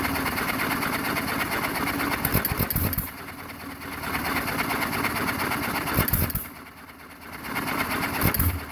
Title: JOHN DEERE 1 1/2 HP HIT MISS ENGINE FIRST START AFTER REBUILD